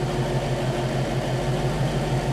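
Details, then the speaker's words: 1960 Pontiac V8 barn find (low miles) idling smoothly with an even low rumble and no knocks or ticks. It was just refitted with Pertronix electronic ignition and a Flame Thrower coil and got fresh 10W-30 oil and filter (6 quarts), and is warming up. "Alright, we got the new oil and filter. Sitting here running with the new oil and filter. Sounds good."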